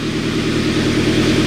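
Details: 1999 Toyota Tacoma idling: loud, raspy, very noisy idle with a fast puffing throb underneath from a large exhaust leak.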